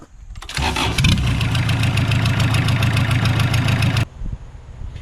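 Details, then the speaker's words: Junkyard Kubota diesel on roller/compactor build, before muffler fitted: harsh loud clatter with sharp rapid exhaust pulses and deep boom, engine running with no muffler. "A lot of times you guys can't tell the difference between before and after, you know, how loud the sound really is on camera. It makes it tough. So I'm going to play it right now before the muffler."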